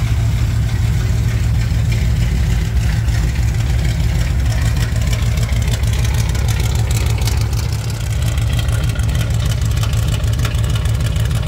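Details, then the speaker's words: 1987 Chevrolet K10 squarebody 4x4, V8 idling while warming up on first start after replacing a blown head gasket; smooth, even low rumble with no knocks, misses or ticks. Normal idle. "Here he's got it running, so it started up without too much trouble. We're gonna let it warm up, make sure everything's good for a few minutes, and then we will take it out for a little test thing."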